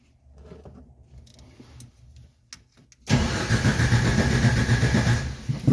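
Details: 1990 Jeep, starter switch bypassed with a screwdriver: a few seconds of weak cranking and clicks, then it catches and settles into a steady idle once 2-cycle gas is poured into the carburetor; fuel starvation.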